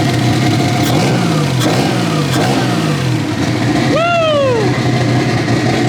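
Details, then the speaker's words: BMW E36 turbo M52 first start via jumped starter: settles into a loud, lumpy, uneven idle like a V8, with a brief turbo spool whistle. It runs fine, just brash through the open dump pipe. "This sounds kind of like a lumpy V8 at the moment, which is kind of weird, but obviously it's because we're just running the dump pipe."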